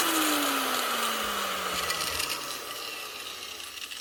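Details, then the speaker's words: Halfords grinder after brush-holder wire repair, running: a falling whine with a loose, uneven rattle underneath; the gears are rattly and the bearings sound shot, so the gearbox and bearings are worn. "It's running, but that's all I can do. It's not really worth anything else. Gears are shing rattly. The bearings sound shot."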